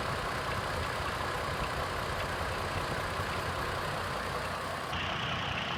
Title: 04 chevy trailblazer , cylinder 3 misfire diagnosis, coil swap , ignition scope view